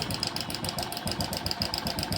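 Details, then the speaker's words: Hero Passion Pro motorcycle, timing chain replaced 15–20 days to a month earlier, at idle: fast light metallic ticking and clatter keeping time with the engine; noise stopped when tested, traced to a failed cam chain adjuster (tensioner) needing replacement. "तो चाबी करते न दोस्तो ये तरीके की आवाज आ रही है क्योंकि अभी 15 20 दिन एक महीना हुआ है इसको टाइमिंग चन डाले हुए और ऐसी आवाज क्यों आ रही है"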